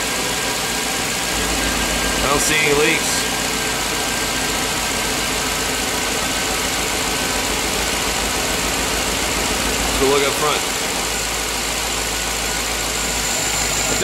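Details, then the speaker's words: 2007 Chevy Tahoe 5.3L V8 after engine replacement, first start: catches and settles into steady even idle with no knocks or ticks; no leaks or check engine lights, sounds like a new engine. "there sounds like a new engine. Awesome. No leaks. No check engine lights. Nothing."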